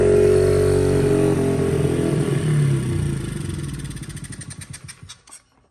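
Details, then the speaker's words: 2003 Honda XR50 single, first start after a whole new carburetor system, on fuel reserve: races high, holds briefly, then sags into slowing pops about four a second and dies; cause unclear, throttle cable lacking adjustment also noted. "She starts. Something's not right though. I don't know why it's killed off like that or what."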